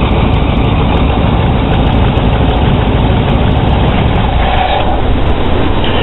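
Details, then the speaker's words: 1982 GMC/Chevy truck, alternator replaced days earlier; running engine with battery terminal disconnected, heavy steady idle falters and the truck dies, showing the alternator is not charging. "And just loosening it as you see the truck die. The alternator should put off enough power that if the battery is bad, the truck would still stay running so you can get from where you're going to your destination. In this case, it's dead."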